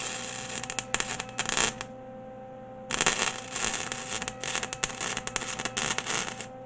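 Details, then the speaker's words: MIG welder spitting: irregular bursts of harsh crackle and popping instead of a smooth fry. Turned down to 2, it lays a smooth bead. "I'm that it's spitting too much I'm gonna crack I'm cranked up on three yeah threes not too bad"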